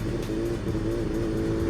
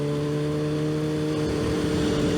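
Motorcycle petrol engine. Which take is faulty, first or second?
first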